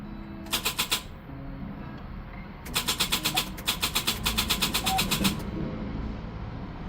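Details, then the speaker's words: Classic car: quiet cranking bursts of about four pulses a second that never catch; it previously started only occasionally with the key held in start, and the starter seemed fine. Hard starting from a weak battery. "It was doing so good. The car would start every once in a while if you held the key down in the start position."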